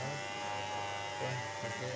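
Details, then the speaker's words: Hand blender after repair (motor was spinning but the shaft did not turn), reassembled and screws tightened: steady even motor buzz with no rattle, knocking or speed dips; running properly. "On कर लेते हैं तो देखिए अब यह बिल्कुल अच्छे से कम कर रही है"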